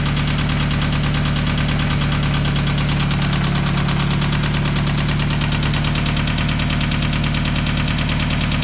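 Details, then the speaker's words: Subaru BRZ boxer engine from a Facebook Marketplace purchase, idling and revved: steady deep knock under the exhaust note, loudest in the centre of the engine, a spun rod bearing. "give it a little wrap that's definitely a knock huh I said yeah it's a bad one"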